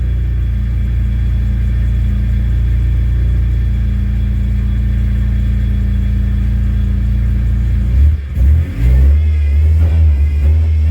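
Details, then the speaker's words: Car in neutral after replacing a bad fuel pump that caused stalling: steady, deep idle holds without stumbling, then picks up cleanly on a throttle blip; oil light went off, running healthy. "i think i fixed it it's idling now and it's not about to die my oil light finally went off and it's finally idling now"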